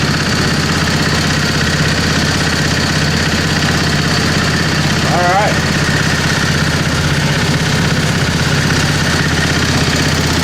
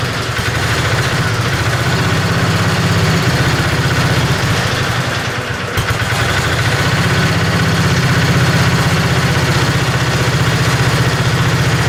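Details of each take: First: 725 engine driving under its own power after sitting a long time. A steady, even beat holding speed under load with no knocks or stumbles. It runs normally. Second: Tinkering-project 725 small engine with an updraft carburetor, bowl filled through a tube from a bottle. A steady, slightly lumpy low chug at about four beats a second. It holds only on partial choke; the owner assumes restricted fuel flow.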